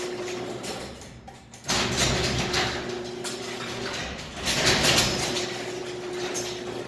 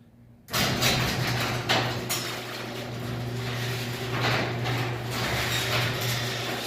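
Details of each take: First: Garage door opener started from the wall button: motor drones steadily, cuts out, then restarts as the door heads back up instead of closing fully. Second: Garage door opener after cleaning dirty safety sensor lenses: steady motor drone with a low hum and some panel rattling as the door runs; it closes smoothly without stopping or reversing; normal closing.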